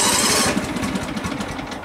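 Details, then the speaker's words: Neighbor's riding mower, battery left connected over winter, just serviced with fresh oil: small engine catches with irregular, skipped beats like a hit-and-miss engine, then smooths out. Rough uneven start, cause unknown. "sounds like a hit miss engine oh there we go"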